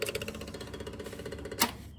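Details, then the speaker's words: Kubota ZD21 diesel zero-turn mower at key-on: fast even ticking of the 12 V inline electric fuel lift pump, showing it works; no ticking indicates a faulty pump or wiring. "If you don't hear that sound theres a problem with the fuel pump, or the wiring to that pump"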